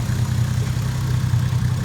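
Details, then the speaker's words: Toyota JZX110 stock 1JZ with HY35 Holset top-mount turbo, j-pipe delete, first start after the build, coolant not yet bled: steady, low, even idle with a regular pulse, no knocking or hunting; idling cleanly. "So we managed to get the car running. Yeah."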